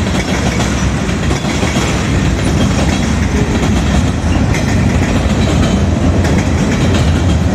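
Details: Southbound CSX freight at South Beech Street crossing, Oxford, OH, rolling past at speed: heavy rumble with loud rapid wheel clatter; onlookers suspect a bad spot in the track.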